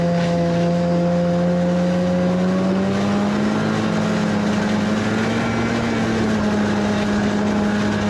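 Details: 1991 Arctic Cat Prowler 440 two-stroke snowmobile after revival: carbs checked, fresh fuel, throttle safety switch bypassed, earlier one-coil miss resolved. Clean, steady buzz climbing gently with throttle, no stumbling or bogging. Flawless after about an hour's riding.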